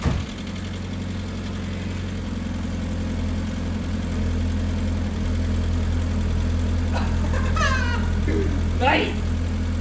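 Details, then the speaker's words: Mazda Miata engine on first start after valve stem seal replacement, new head and intake gaskets, filters and plugs; fast, slightly uneven light ticking over idle with brief smoke; later believed caused by oil not yet reaching the top end. "Okay, there is no smoke. wtf is that sound? Okay, anyway, something is fucked up And it's making a weird sound I don't know if it has ever made such a sound"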